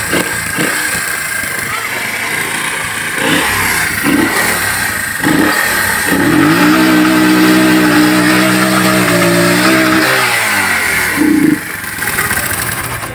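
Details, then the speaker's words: 1978 Honda CD70 70cc single with points ignition, points gap widened: revs up and down with an occasional stumble in the exhaust beat; slight misfire, fixed by reducing the points gap. "थोड़ी थोड़ी missing करता है इसका point का फासला थोड़ा सा कम करते हैं"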